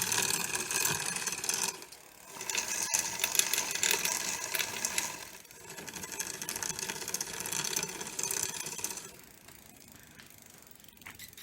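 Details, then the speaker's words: Rusty free Barracuda dual-suspension trail bike, after WD-40 on the front gears. Rhythmic dry scraping about twice a second as the cranks turn, from the chain rubbing the front derailleur; the front shifting needs adjusting. "so I think I'm gonna have to have a look at the gear shifting and the way that it shifts um because that's is rubbing on the chain up here there"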